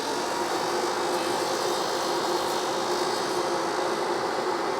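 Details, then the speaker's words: 1973 TVR 2500M during wiring harness replacement, engine not running: steady even whoosh of the electric radiator fan switching on unexpectedly when a ground was screwed in; cause not yet known, no burning smell. "Oh, goodness. Okay. So electric fans are on. I don't smell any burned electrical wiring. So my first aspect is to figure out why the fans are on"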